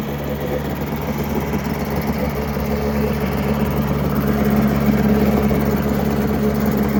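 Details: Mercury 7.5 hp long-shaft two-stroke outboard, believed to be from the 1980s, first start after 20–30 years in storage: steady buzzing run at constant speed, fairly even firing, no knocks; runs well, though later some missing noted and impeller due.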